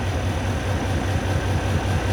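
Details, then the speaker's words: Diesel truck engine (W900) idling lumpy during a cylinder cutout test; cutting number five pulls the engine down, number four and six change nothing, so cylinders four and six are dead, not firing. "no change all right number five that it pulls the engine down all right number six no change so it's definitely cylinder number four and number six"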